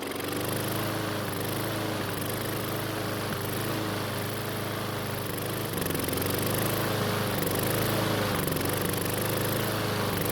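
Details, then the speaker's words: Husqvarna mower that wouldn't start cold, new carburettor fitted, running on the bench before an air filter change: runs steadily, then a brief hiccup and oil sprays from the uncovered breather (emissions) tube; cause not yet found. "I Was preparing to replace the air filter when the engine sort of had a hiccup and then started to spray oil from the emissions tube"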